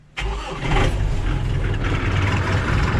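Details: On a cold, windy day: engine catches within a moment of cranking and settles into a steady low rumble; clean, healthy normal cold start.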